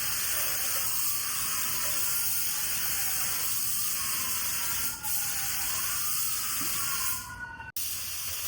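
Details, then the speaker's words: Paint sprayer with fluid screw turned in too far, restricting paint flow; thin, steady high squeal rides over the spray hiss. "we had this screwed too far in, so we were not getting enough paint. That's why you're getting that squealing noise."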